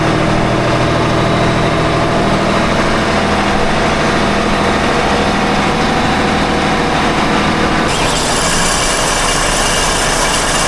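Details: Engine on 47 ft Carver motor yacht mid-Gulf: diesel clatter with harsh gritty rasp louder near pulleys; pulley hot, belts tight; metal on metal, suspected pulley bearing failure, owner unsure.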